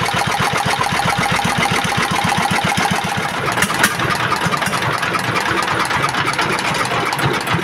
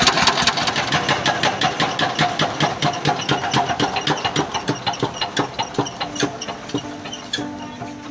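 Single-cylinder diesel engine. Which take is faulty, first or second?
second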